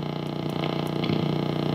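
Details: Peavey XR684 PA head being serviced after retirement: a low hum pulses fast and evenly, roughly fifteen times a second, as the amplifier flutters; cause not yet clear.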